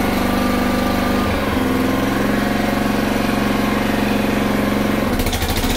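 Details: Honda HRR216 mower that stalled when the clutch engaged, blamed on a bad aftermarket carb, after the fix: steady, even beat at running speed with no surging or hunting. Normal running.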